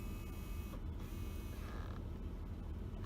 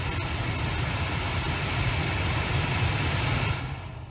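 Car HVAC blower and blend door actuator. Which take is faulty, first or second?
second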